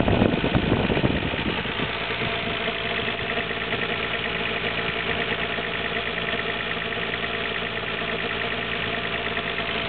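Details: Nissan Skyline GT-R R33 at 86,800 km, water pump and timing belt recently replaced: about a minute after the day's first cold start, a low uneven rumbling at idle that lasts a minute and disappears once warm.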